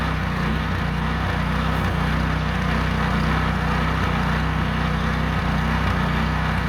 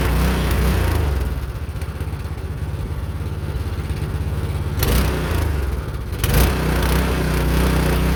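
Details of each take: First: Meec SN210 snowblower small engine after fixing sputtering/dying, a leaking tank mounting screw found: steady, even drone with constant beat, no misses or surging, running cleanly under load while throwing snow. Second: Meec SN210 snowblower small single-cylinder engine after cleaning parts and reassembly, previously sputtering and dying unloaded after starting on choke: chugs unevenly at low idle with surges, running rough.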